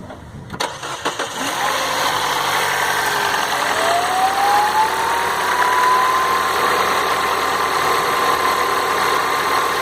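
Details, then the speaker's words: Citroën C4 Lounge THP cold start: hard diesel-like clatter with rising whine right after starting, settling quieter and smooth as it warms and with light revving; cold-start engine noise. "Olha a diferença do barulho agora. No começo aí parece carro a diesel, ó."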